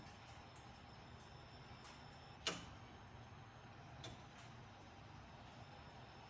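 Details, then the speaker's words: Electronic game board after repair of a scrambled-screen fault: very quiet hiss with sparse, irregular sharp ticks and one louder click, no proper game sound; faulty ticking audio. "Well, the sound's really low, so I couldn't be able to hear it anyways. But all that ticking noise is bad."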